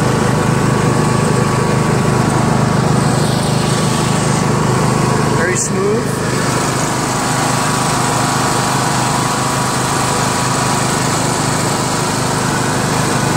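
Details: Yard Machines MTD lawn tractor, 20HP Briggs single-cylinder OHV, CVT, test ride after magneto bypass and deck repair: even, steady note holding speed under load, one brief dip but no misfire or knock; smooth and healthy.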